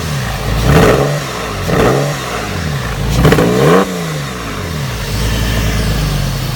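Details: Porsche 996 flat-six with a modified exhaust, misfiring on cylinder 2: three quick revs with an unevenly stumbling exhaust note.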